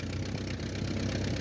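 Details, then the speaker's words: 1949 Ford 8N flathead tractor bought at auction, driving in second gear under load: low, lumpy, chuffing beat. Rough running; the mixture needs adjusting and it likes choke. "Try second gear, see what happens. Need to play with the mixture."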